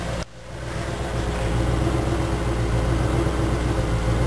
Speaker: and without that plugged in you can also you can hear that the engine it's it's idling a little rough it's uh constantly going up and down